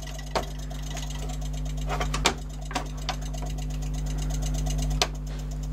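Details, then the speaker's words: Kenwood XD-351 mini hi-fi (1998) CD section after cleaning dust off the laser head: steady low hum with irregular sharp clicks seconds apart; disc now reads but keeps skipping. "it's working it's actually reading it although it does keep skipping"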